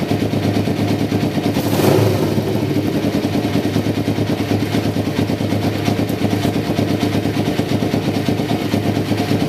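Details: 1993 Kawasaki Vulcan EN500 bobber project, running after removing the reed/air suction valve and installing and synchronizing the carburetors; mixture not yet tuned. Even, steady twin-cylinder idle with one clean blip that settles straight back; carbs sound balanced.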